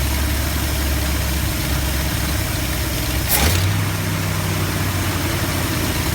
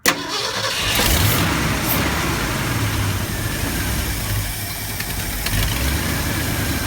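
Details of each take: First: 1972 Ford F250 with 360 V8, after a Pertronix Flame Thrower II distributor install with new coil, cables and plugs and the distributor repositioned: smooth, steady low idle rumble with no lope or miss; normal idle. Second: 1972 Ford F250 with 360 V8 after Pertronix Flame Thrower II distributor, new coil, cables and plugs, timing being set: long uneven labouring crank without a clean idle; hard start, cause unconfirmed.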